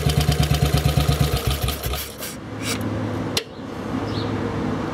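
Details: Model 8 single-cylinder motorcycle idling with a steady, fairly even thump about three times a second; knock more noticeable riding at 40 mph and above, source unclear.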